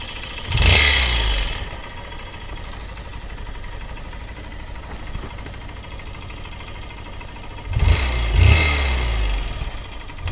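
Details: Honda CBF125 single-cylinder idling with a sharp puffing tick on each firing, louder on two throttle blips: exhaust leak at the cylinder exhaust port; the one-time-use seal there needs replacing.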